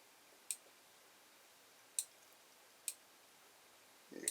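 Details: Creality Ender 5 Plus with twin ring blower fan duct, relocated Y carriage micro switch endstop; three crisp single clicks in a quiet room as the carriage passes over, endstop triggering normally.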